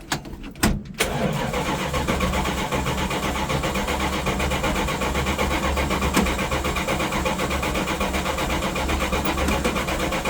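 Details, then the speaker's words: 1967 Plymouth Barracuda with 1980s slant six, not started for a few months: long, uneven starter churning for several seconds before catching and settling to idle; extended cranking, hard start, cause unclear. "Any day now. Sure, the starter loves it. Aha! Oh, slant 6, as reliable as ever."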